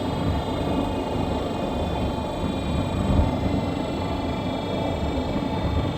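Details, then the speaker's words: 2017 Nissan Rogue while driving: a constant high-pitched whine from the rear end that never stops and lessens as the vehicle slows; worn rear differential coupling, which gets replaced. "but you hear that sound sounds like that all the time just a high pitch whining noise never stops you know it just gets less as you're slowing down"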